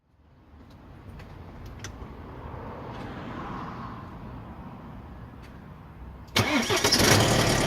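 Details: BMW 120d (E87) N47 diesel cold start: harsh metallic clatter from stretched lower timing chain and worn guides, tensioner at maximum extension, rattling until tensioners get hydraulic pressure; fixed by chain replacement with engine removed.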